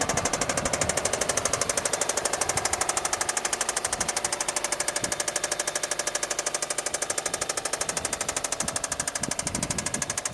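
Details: 2008 Subaru Forester (MY09) petrol engine: a loud, steady metallic knock, about three a second, from big end bearing failure (rod knock).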